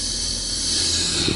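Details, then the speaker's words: Car at idle with a sinking brake pedal: a steady sharp hiss of air as the pedal is pressed, the brake servo leaking vacuum, which raises idle rpm and fuel consumption. "سمعتوا الصوت اللي يحط السيرفو كيبدا فيه مشكلة، سمعتوه؟ هذا السيرفو نتاع الفرامل كيفاش يطشطش، كي ننزلوا على الفرامل، اسمعوا اسمعوا اسمعوا"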